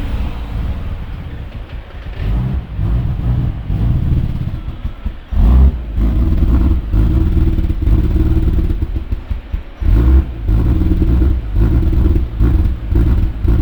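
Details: Ford BF XR6 Turbo with the throttle position sensor unplugged: idle hunts and surges unevenly with sudden dips and bursts of revs, a rough idle caused by the unplugged TPS.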